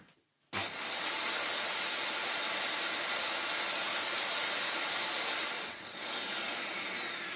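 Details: Dyson DC14 with used, ungreased non-clutched brush roll replacing a noisy new aftermarket one: steady high-pitched motor whine, even, no knocking or rattle from the brush roll; running normally.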